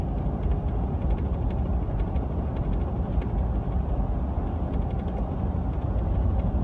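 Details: 2015 Ford F150 with a brand-new professionally installed LEER Bulldog canopy, while driving: a constant loose rattling and creaking over low road rumble; the noise is absent with the canopy off, and it persists after a repair by LEER.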